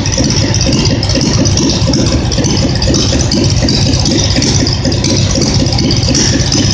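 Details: Simplicity tractor twin-cylinder engine, reassembled after earlier popping and misfiring when revved: a loud, even drone with no missing or popping. It now runs well, popping only on throttle lift-off; the owner guesses deposits in a cylinder burned out.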